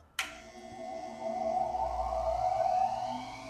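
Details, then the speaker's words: Dayton bench grinder on its pedestal after the pedestal has been filled with Great Stuff Wide Gap foam: after the switch click it spins up to a smooth, even hum with a steady tone and no ringing or vibration. The earlier tininess is gone, running normally. "I'm going to say that sounds better. Um, again, it might not pick up on this microphone, but it whatever tininess or ringiness was even from this glass smooth grinder rotating is gone."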